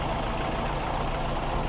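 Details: Older VW Polo 1.4 petrol, being fault-found for a no-start: even, steady idle with a smooth low note and no knocks, misses or rattles, sounding healthy.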